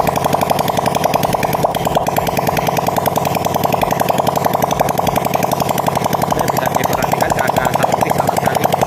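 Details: Honda Supra Fit after rebuild for white smoke, exhaust removed, checking lubrication: the small single revs hard with a sharp fast crackle that climbs cleanly with throttle; sounds healthy after the rebuild.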